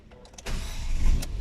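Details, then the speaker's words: Ford EcoSport started after repairing oil and water mixing in the engine, with the coolant reservoir filled with soapy flush water: brief crank, catches on the first click, and settles into a steady, even run with no misses or knocks. "Ayan. One click din pala. One click pala yung under din niya pa, hindi pala ano. Ayan. Siya umandar siya."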